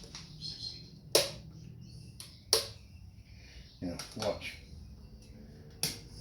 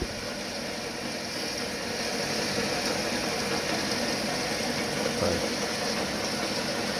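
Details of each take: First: Workshop item giving sharp, irregular popping cracks a second or more apart like an arcing short, occurring now and again; owner suspects a faulty (dummy) switch, not confirmed. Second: Home workshop lathe after alignment, with no high-pressure grease so it's getting hot: steady, even motor hum with no knocking or rhythmic wobble. It spins smoothly, the work runs wobble-free.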